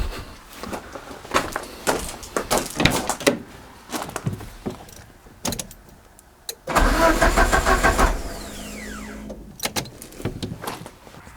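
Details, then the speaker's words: Peugeot 205 GTI on a fuel delivery test: short, uneven starter bursts and the engine never catches. There is pressure but no petrol arriving, which turns out to be an empty fuel tank. "que de la pression mais il n'y a pas d'essence je crois bien que vous êtes vraiment fait le coup de la panne"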